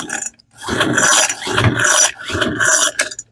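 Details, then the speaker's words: Free roadside Troy-Bilt blower, choke on, full throttle with throttle lock, on the previous owner's old fuel, then with fuel added: raspy recoil pulls, not even a pop. No spark at the plug. "Not even a pop. Let's try. Give it something to burn in case the carburetor's bad or his gas is that bad. Not a pop."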